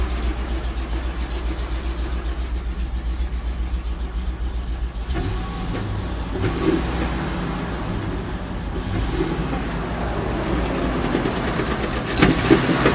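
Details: 2003 Land Rover Discovery 2 idling with a dull, regular engine knock, roughly three to four beats a second, under the low rumble.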